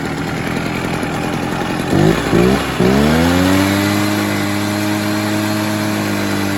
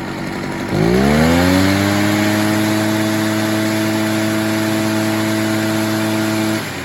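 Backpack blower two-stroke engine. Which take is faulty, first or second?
first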